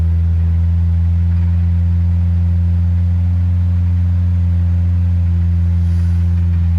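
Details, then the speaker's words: 1970 Morris 1300 (ADO16) barn find four-cylinder, first run after sitting for years, choke held out, suspected fuel delivery issue with pump: steady, even low drone, no missing beats, no exhaust leak, idles well; normal running. "it's sounding pretty sweet [Music] it's not blowing out an exhaust anywhere"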